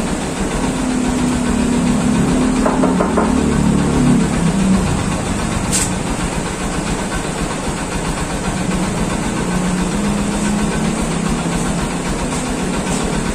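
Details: Honda TMX150 Supremo single-cylinder motorcycle after repair (clutch housing fixed, carburetor replaced for torn diaphragm and pilot screw), road test: steady drone rising and easing with throttle, no knocking or rattling; healthy engine.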